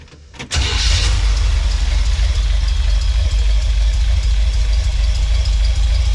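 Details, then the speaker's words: Untested Craigslist Chevy small-block 350 V8 freshly installed in a Chevy van, warm: short crank, fires right up and settles to a steady idle around 450 rpm with no cam lope and good oil pressure; some ticking noted; normal start and idle. "mean it fires right up it does not have some kind of lumpy cam according to my doodler it's got oil pressure"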